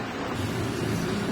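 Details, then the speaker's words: Infinix Hot 9 Play phone playing a song: harsh crackling hiss swamps faint playback, torn distorted sound with more noise than audio; faulty audio IC rather than the speaker. "इस तरह से फटी फटी आवाज़ आती है और आवाज़ से कम ज़्यादा इसमें शोर आता है ठीक है।"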